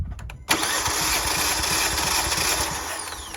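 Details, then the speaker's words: 2018 Kia Forte compression test, fourth cylinder, coil packs disconnected: steady cranking about four beats a second over loud hiss; reads 180 and holds, healthy; original spark plugs found burnt, being replaced. "All right, we're at 180. Let's stop there and hold it."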